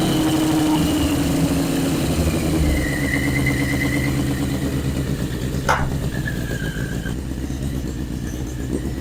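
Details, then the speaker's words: 1981 Yamaha Maxim XJ650 four-cylinder, dead 20 years, running after carburettor rebuild on old oil: slightly uneven fast idle with some blips, no knocks or grinding; healthy, idle still needs setting. "but success we got it running didn't have to do hardly any wiring at all"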